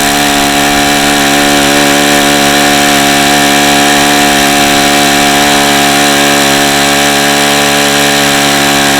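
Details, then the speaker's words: Saito FA-45 original-version ringless ABC model four-stroke with bad bearings, on 5% nitro fuel: steady high-pitched full-throttle scream peaking around 8700 rpm instead of over 9500, running very hot; tired, worn engine. "I see the engine feels really hot already and it was only running at 8700 RPM and this engine should run well over 9 9500"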